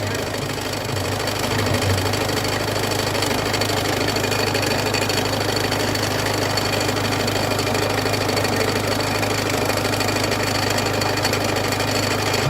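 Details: Peugeot 206 1.4 HDi diesel at steady idle with a rhythmic clatter, about three beats a second, riding on the engine; loud engine noise caused by a damaged crankshaft pulley.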